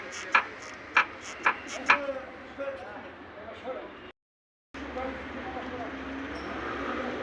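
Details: Car driving: four sharp squeaks about every half second, fading into road noise; suspension squeak, possibly a worn silent block bushing, unconfirmed.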